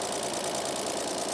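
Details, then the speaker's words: Toyota Land Cruiser 45 series 3FE petrol engine idling after tappet adjustment, previously very noisy: fast even light valve tapping, louder with rocker cover off; sounds ten times better, no heavy tapping, tappets now set correctly. "you'll also be able to hear if there's going to be any mega tapping noises. So that actually sounds 10 times better."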